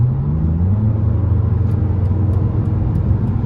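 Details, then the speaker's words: BMW 330Ci ClubSport straight-six with a faulty gearbox, driving: a deep, smooth, even rumble with no knocks or whine; a normal, healthy engine note. "they sound so nice and of course it's 70 mile an hour very quickly so we'll have to take it easy"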